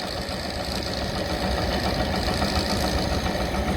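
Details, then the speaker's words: KTWO muckspreader behind tractor after repair for beater vibration, grease nipple refitted: steady even churn under tractor drone, noise gone, no catching or rhythmic knock; beaters running smoothly. "There we go, that noise has gone, whatever"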